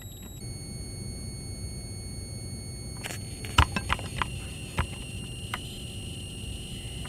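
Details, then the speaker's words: Backlight inverter charge pump of a BM235 multimeter with backlight on: thin, high steady whistle that jumps in pitch and stutters; multilayer ceramic capacitor singing through the piezoelectric effect, charge pump possibly pulse skipping. "nd if you've got your ear up to it, you can actually hear a perfect tone."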